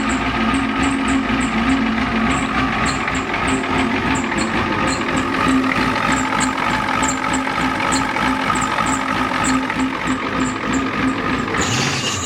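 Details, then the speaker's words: 1993 Ford F-250 7.3L IDI diesel, new injectors, hard starting; owner suspects injection timing is off: lumpy, uneven idle with sharp clatter ticking about three times a second, stumbling; missing badly, rough idle misfire. "it's missing pretty bad yeah oo that don't sound good"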